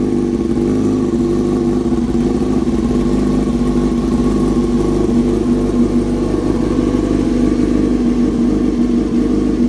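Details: 2007 Yamaha R6S first start after replacing the ignition coil runs strong and steady with an even buzzy note, no misfire or stumble; ignition healthy.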